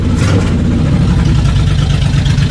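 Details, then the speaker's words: Suzuki Intruder VL 1500, sat for years, after carb cleaning: deep loud V-twin burble picking up crisply and evenly on each throttle blip, no misses or stumbles; really responsive, normal throttle response. "but I'll tell you what she is really responsive"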